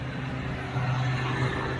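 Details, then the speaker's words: 1995 Range Rover Vogue SE softdash, Rover 3.9 serpentine V8 after a top-end overhaul, first start, held at 2000 rpm to bed in the new camshaft: an even, steady drone with slightly busy valvetrain but no knocks. A bit noisy but runs sweet. "engine runs sweet enough. 2000 RPM, just bedding in the camshaft, everything's behaving itself on the dashboard."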